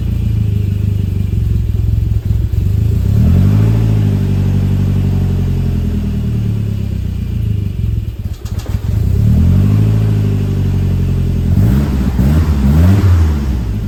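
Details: 1988 Saab 900 that sat all summer, cold idle after its MAF sensor was cleaned: the idle sags and climbs every few seconds with an uneven, lumpy beat; rough hunting idle, little improved, cause not yet found.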